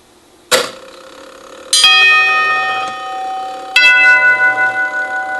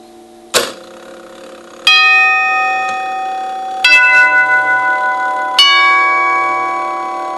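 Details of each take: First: Circa 1936 NuTone Series 1 Trinity 4-note clockwork door chime during rebuild: clear strikes, but first strike flutters in its decay as the falling solenoid arm makes fluttering contact. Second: Circa 1936 NuTone Series 1 Trinity 4-note clockwork door chime during rebuild, retested: clear strikes every two seconds or so, ringing cleanly with less flutter than before; may be adjusted further by moving tubes.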